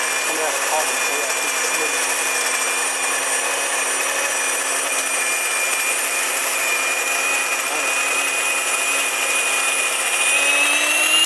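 Loud, even high-pitched roar with no thump or rattle; the mill is grinding normally.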